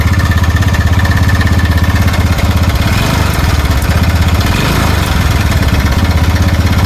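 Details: TVS Ntorq 125 scooter engine at idle: a low chuffing idle with a loose, uneven tik-tik clatter on top at about three beats a second. It sounds like a slack or faulty timing chain.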